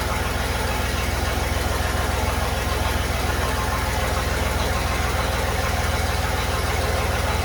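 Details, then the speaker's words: Chevy 4.3L V6 swapped into a Willys CJ5, exhaust only run halfway back with no tailpipe or muffler. Low, slightly lumpy, lazy idle with a dull pulse. Retarded timing: the distributor cannot rotate far enough to advance it. "all right so my problem is I don't have enough rotation on my distributor it wants to be Advanced more than that um but I can't quite get it"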